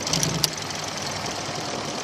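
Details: 2000 Toyota Avalon, sputtering and low on power, new mass airflow sensor and cam position sensor fitted, coil looking corroded: rough, unsteady idle with sharp uneven knocks and pops; rough idle misfire.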